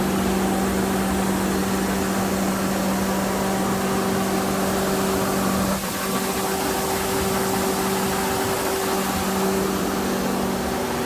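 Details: 60 kW generator powered by natural-gas 5.7 Vortec small-block Chevy, after soldered radiator repair and oil change, no leaks: steady even hum, constant tone, no knocks or misses; normal running.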